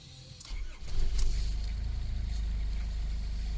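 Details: Nissan Terrano 2 TD27 diesel cold start at about -29 °C: brief crank, then catches within a second and settles into steady, even low rumble; clean cold start, no problem.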